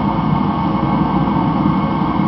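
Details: Rebuilt Mr. Heater Contractor Series torpedo heater, cone red-hot: steady, even roar at full fire with no pulsing, popping or sputter; heater burning cleanly and normally.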